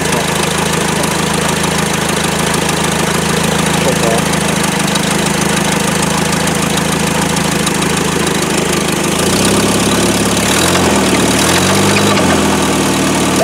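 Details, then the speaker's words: Engine's first start in 17 years: rough idle with a steady deep knock about three per second; suspected rod knock or throwout bearing, not confirmed. "sounds like a rod knock. Yeah. Maybe it's a throw-all bearing."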